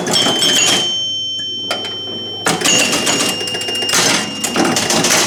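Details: Rebuilt chime unit on an EM Gottlieb pinball machine during play, sounding tens, hundreds and thousands chimes; clean bright bell strikes with long even decay; healthy.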